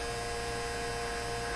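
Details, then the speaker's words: 1957 Chevy Model 561 car radio on bench just switched on: steady low buzz with thin high whine through the speaker; owner suspects a clipped-on capacitor, unconfirmed. "okay too bad we have to listen to that too just definitely uh buzzing that speaker"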